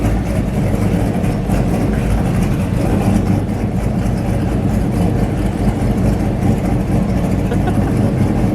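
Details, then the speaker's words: Ford F-350 ramp truck with a swapped 8.1 big-block, finished, idling normally through stacks mounted on a headache rack: a deep, steady low rumble with an even firing beat and no knocks or misses. "the thing looks freaking killer uh it sounds awesome"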